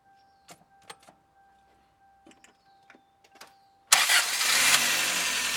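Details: Freshly rebuilt 7AFE engine (new pistons, rings, crank bearings, head gasket) in a 1994 Toyota Corolla, cold start filmed from a tripod: after a few clicks it catches instantly and settles into a strong, even run with a quick blip. It starts healthy.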